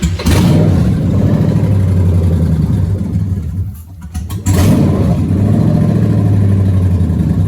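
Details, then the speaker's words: G3 Hemi-swapped Cuda engine on a fuel-system test setup, run on the owner's engine harness and computer after a reported no-start: catches quickly, flares, then settles into a steady even idle with no misses or knocks; starts and runs normally. "this good enough for me it runs so he was saying it wasn't starting up but right now it's starting"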